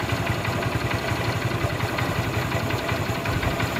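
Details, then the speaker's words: Honda motorcycle, brought to the shop from 230 km away, after a full engine rebuild: even low putter at a settled idle, about three pulses a second, with no knocking or rattle. Exhaust smoke also reduced. "Song బండి super అయింది friends మీకు engine sound వింటే మీకు అర్థమైపోతుంది"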